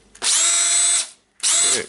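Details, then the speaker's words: Makita DDF482 18V drill after teardown, cleaning and brush replacement (motor had smoked, gear slipping): two clean bursts of steady high whine spinning up quickly, smooth and even without rattle; motor running normally. "it started to work that's a good time for us"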